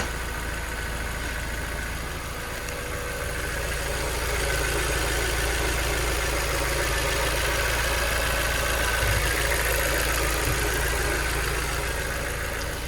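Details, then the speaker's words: 2000 Mazda Miata NB, 119,000 miles, hot engine at idle before ATS 505 oil system treatment: steady, light tick about four a second over the hum; top-end ticking the owner suspects is lifter tick from gunk. "honestly I just want to calm that down that ticking see if this product can do it"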